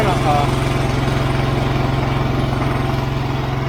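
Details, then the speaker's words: 1983 John Deere 165 mower after carburetor cleaned and original carb refitted in place of a Chinese one: steady, even single-cylinder putter about 220 beats a minute, no misses, pops or backfire; normal idle, considered fixed. "Well, sounds good to me."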